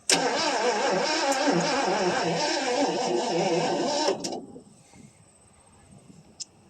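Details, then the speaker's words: 1977 Mercury Marquis 400 V8, parked since 1997, with gas poured in the carburetor and a little throttle: steady cranking about four turns a second for four seconds, then stops without firing; spark unknown, battery possibly weak. "Give her a little bit of throttle. I don't know it's got any spark or anything either."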